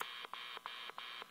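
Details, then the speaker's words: HamCan regenerative transceiver, first power-up, about 2.5 kHz off crystal frequency: keyed dits give only sharp clicks about three per second over hiss, no musical tone; suspected audio amplifier biasing fault, cause unclear. "when I send a series of dits you don't hear anything res resembling a musical tone at all all you hear are a bunch of"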